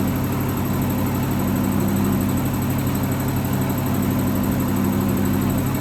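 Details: 1963 AMC Rambler wagon 287 V8 at idle, not started in a while: steady high-pitched squeal over even idle, unchanging; left-bank rocker shaft starved of oil after rocker shaft bolts were mixed up installing valve stem seals.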